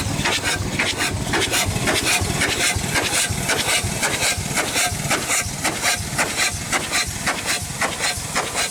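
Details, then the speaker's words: 100+ year old Chicago Pneumatic steam engine/air compressor, first run in decades after long storage, cylinder head off: sharp hissing puffs about twice a second with steam sizzle between strokes; packings worn and leaking, needs seals everywhere. "thank you all right folks I guess we're gonna call it a video uh she definitely needs seals everywhere not a very balanced unit so it would be bolted down for sure"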